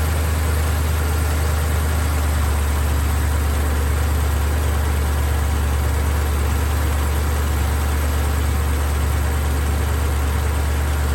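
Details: BMW X5 E70 with the drive belt removed, idling: steady, even low rumble with no rattle or tick; the rattle came from the water pump's worn bearing.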